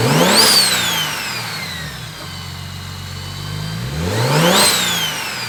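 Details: BMW 135i N54 at first start on a newly fitted Doc Race single turbo kit (6266 turbo): it catches and revs sharply twice with rising turbo spool whistle, settling between blips; runs cleanly.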